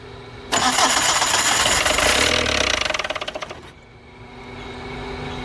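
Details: Tata Indigo diesel cold start after 5 years parked, fuel primed with the lift pump. A sudden loud clattering start with a quick rhythmic rattle fading to a low, uneven idle; the crew suspects something is jammed. Rough first start after long storage.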